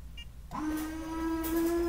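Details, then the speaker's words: Honda/Acura, Launch Creader Elite V2.0 scan tool bi-directional windshield washer actuator command: soft click then a steady, even mid-pitched electric hum as the washer pump sprays the windshield, working normally. "and there they go destroying my nice clean window"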